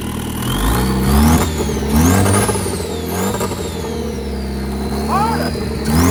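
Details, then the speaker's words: Drag-car project engine, first turbo test in park, rev-limited to 4,000 rpm, exhaust held by only two bolts: clean turbo whistle rising and falling with each rev, engine pulling smoothly; healthy turbo spool. "but it sounded good y'all hear that oh yeah so very happy with the outcome"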